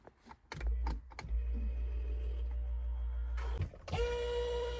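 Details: Ford Mustang convertible top not working, control circuit tested good: electric pump hums steadily then rises to a strained whine with no top movement; low hydraulic fluid in convertible top system.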